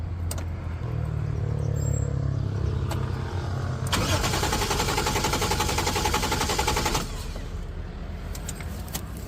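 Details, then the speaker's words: Ford Ranger with 1JZ-GTE turbo swap, new battery fitted: starter cranks the engine at a steady, lively rhythm but it never fires. No start on petrol because fuel was not reaching the rail; the in-tank fuel pump was burnt and replaced. "โอเคไม่ติดแน่ก็ประมาณนี้นะเครื่องหมุนดีนะแต่ไม่มีจุดระเบิดเลยเงียบไม่มีปึ๊บๆเลยนะ"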